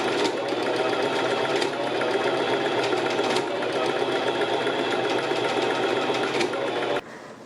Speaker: Have you ever been sewing, then all of a sudden your sewing machine starts making a weird clicking sound and you're just like, "What the heck is